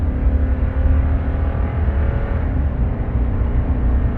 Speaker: Ooh, listen to that 5.7.